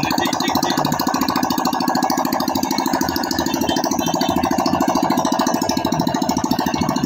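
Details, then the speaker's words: Yamaha Soul GT scooter after internal cleaning and reassembly following oil starvation from late oil changes: quick, even ticking about three per second with light rattle on top; engine idles normally. "suara mesin kemarin normal guys"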